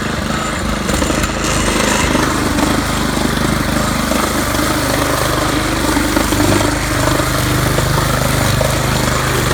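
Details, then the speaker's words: Craftsman weed trimmer 536.773500 with Honda engine swapped in from pressure washer, carb needs cleaning, possibly needs spark plug: steady drone with uneven wavering beat, about 80% power; rough running engine. "But what I'm happy with is that it does function. Be that at about 80%. So this thing's going to need a little bit more work done to it."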